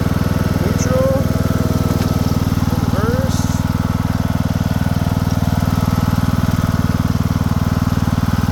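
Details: Craftsman II lawn tractor with a swapped-in newer engine and a bad key switch: steady, even low putter holding a constant beat with no misses or knocks; running healthy.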